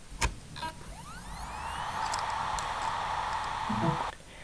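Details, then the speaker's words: Hard drive: quick click then smooth rising whine settling into a steady whir, normal spin-up, as reference for a laptop drive failing to spin up, suspected stuck heads. "This is what a hard drive should sound like."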